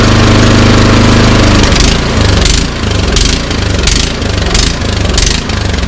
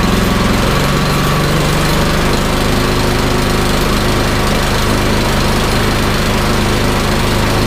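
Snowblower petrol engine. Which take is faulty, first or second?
first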